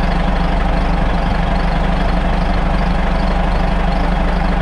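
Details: Caterpillar 3406C diesel in a 980C loader with mechanical injection pump, restarted after the fuel filter was emptied and the air bled with a vacuum bleeder: deep, steady idle with an even low thrum, no knocks or misses; normal healthy idle.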